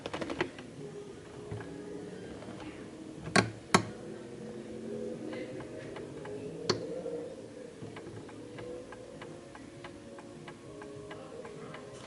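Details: 1930s Garrard Art Deco oak mantel clock, 8-day pendulum movement with gong strike: soft, even tick-tock at a steady pace after pendulum adjustment for the surface, with a couple of louder handling knocks early on; clock in beat.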